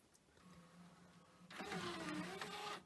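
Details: Pioneer DVL-K88 LaserDisc player bought as junk from Japan, loading a LaserDisc: a quiet click, then the motor whirs up with shifting tones as the disc spins; the mechanism sounds normal.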